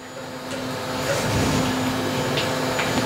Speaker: Oh, the heater's turning back on again.